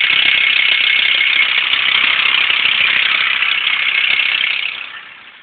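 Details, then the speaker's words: VW LT35 van engine idling a couple of minutes after a restart: a fast, tinny rattle at about three per second fades as the engine winds down; source unknown, belt suggested on a forum; engine rattle. "I don't know if you can pick it up but you can hear it from me like rattle rattle rattle rattle"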